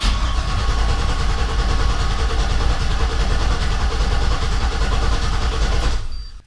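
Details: 1988 Chevrolet Suburban with LS swap, rigged wiring with fuses pulled, first crank to build oil pressure: starter spins the V8 evenly for about six seconds with no firing; cranking sounds healthy, oil pressure achieved.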